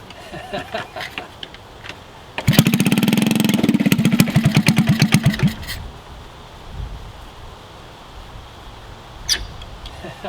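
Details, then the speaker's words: Honda CT70 mini trail bike, unknown year, long-sitting garage find; first start in years with the rusty exhaust rotted in half and a fuel/air leak at the carb. The small single barks loud, raw and uneven, "sounds like it's underwater"; exhaust leak. "it sounds like it's underwater with that pipe might just try and cut something today"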